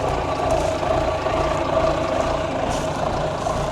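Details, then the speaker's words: 1973 Volvo G89 truck with TD120 320 hp diesel, long abandoned, just started and idling with oil pressure: steady low idle with an even mid-pitched hum as the air compressor builds brake pressure normally. "That actually works still. Building up air. You can hear it."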